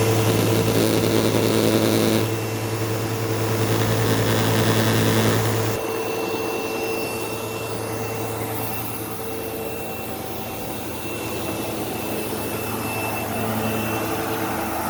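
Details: Sebo Automatic X5 upright vacuum on living room carpet: loud, coarse buzz from the base with an occasional faint squeal like a slipping belt; belt checked and had tension, brushroll cause unconfirmed.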